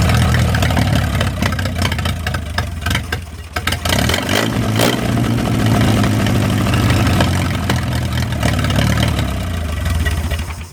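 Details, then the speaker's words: 1937 Willys four-cylinder flathead generator engine, revived after sitting covered 15–20+ years, running after plugs fouled by transmission fluid were cleaned: low steady firing at about four beats a second, rising and falling with throttle blips; runs and revs evenly, cooling system still needs work. "Well, that is just fantastical right there. Y'all watch how quick this thing fires up. I'm just amazed. Well, now that I got it running pretty good, I need to work on the cooling system a little bit."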